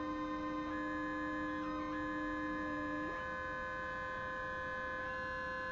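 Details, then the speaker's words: DIY synth VCO: clean steady tone stepping in pitch with a faint separate pitch underneath that doesn't follow; another oscillator bleeding through, builder suspects the distance between the two modules and the mixer/PC. "it shouldn't it like you're hearing more than one that's this one but there's you could just faintly hear that one"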